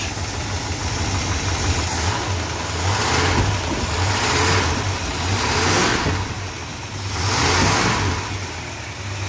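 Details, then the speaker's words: Freshly rebuilt 440 big-block V8 in a 1966 Chrysler New Yorker, first start after the rebuild: deep, even burble with gentle swells in loudness, no knocks or ticks. Normal, smooth idle. "she's running sweet it's amazing my first rebuild she sounds Lush"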